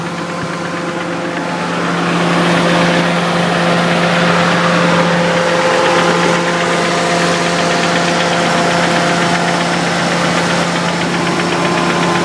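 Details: Nissan 300ZX, bottom end rebuilt 3 years ago, idle: regular knock about four a second over engine note, appeared after vigorous motorway run; no oil burning, revs freely; owner suspects oil pump given erratic pressure reading, unconfirmed.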